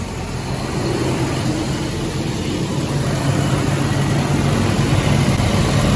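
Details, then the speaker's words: 1977 Volvo 242 on a cold engine, after replacing the torn intake boot, remounting the air flow meter and rerouting vacuum lines: steady, even low idle with no misses, knocks or hiss; runs smooth. "this is on a cold motor [Music]"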